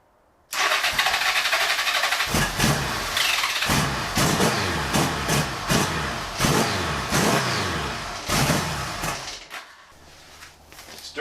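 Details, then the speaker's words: 1975 Honda GL1000 Goldwing on an external gas tank, with spark and engine rotating: repeated starter bursts and uneven cranking that never catch; no fuel reaches the carb because the mechanical fuel pump has failed. "uh the Jets are clear no fuel is ever making it in here so I'm going to take apart that mechanical fuel pump and see where the stoppage is"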